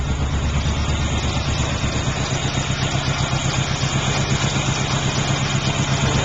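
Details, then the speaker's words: 1978 Pontiac Trans Am, 350 V8 with blower, aftermarket exhaust (one pipe hanging low, needs clamp): even, throaty idle pulsing about four times a second, no knocks or ticks; no known knocks or leaks, normal idle. "engine doesn't have any knocks or leaks or anything that I'm aware of. It runs and drives great, but it is a project car."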